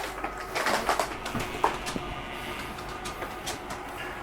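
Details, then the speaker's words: Catalina 263BHSCKLE RV slide-out retracting: soft steady motor whir with light clicks and creaks as the slide runs in quickly; the slide mechanism adjusting itself, normal. "It's just the slide mechanism adjusting itself. So it's okay to hear th"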